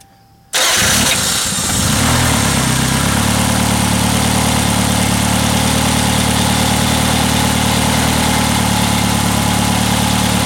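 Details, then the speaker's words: 1991 Toyota Camry 2.0 3S-FE just after timing belt replacement, quick test start without crankshaft pulley: quick crank, catches at once and settles into a steady, even idle with no knocks, ticks or misses; normal start and idle. "all right so the car started up uh sounds good"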